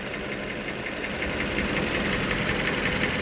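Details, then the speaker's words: 2013 Toyota Venza 2.7L after engine rebuild, first startup: steady idle with a faint light knock near three a second under the hum; attributed to worn balance shaft dampeners, not the rebuilt bottom end. "So it's like when they're not solid, it's a dampener in those balance shafts, and you'll hear that. That's what it sounds like."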